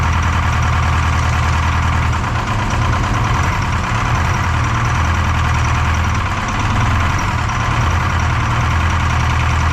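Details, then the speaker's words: Detroit 4-53T diesel with 9G90 injectors, about 30 miles on them, run in the shop at high revs, modulator off for full rack: slightly uneven, lumpy beat. Injector number two, coldest by IR gun, not firing: dead cylinder misfire. "yeah crazy injector number two is not firing anyway extremely upset it's uh well I'm not upset the the Jimmy's upset he's not happy with that"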